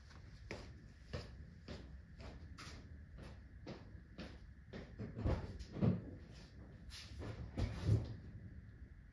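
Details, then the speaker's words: 2009-2013 Toyota Corolla rear drum brakes give short, high squeaky chirps with each pedal press; the shoes rub dry backing-plate contact points that need copper anti-seize. "Hopefully you guys can hear that sound on the camera. But that's the sound I'm trying to get rid of."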